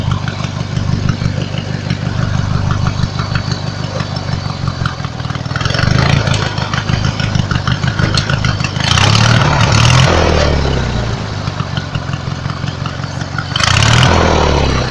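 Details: Single-cylinder lawnmower engine fitted with an add-on alternator chugging at idle with a few short revs, a faint extra whir riding over it; owner mentions a weird noise, cause unclear.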